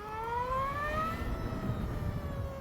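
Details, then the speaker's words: Energica Eva Ribelle RS electric motorcycle in sport mode with medium regen, pulling away: a clean whine climbs in pitch, then levels off; normal whine of the straight-cut gears linking motor to sprocket and chain. "It's got a gearbox in it, straight cut gears, as I say, that connect from the motor to the sprocket and the chain. And straight cut gears have a whine to them."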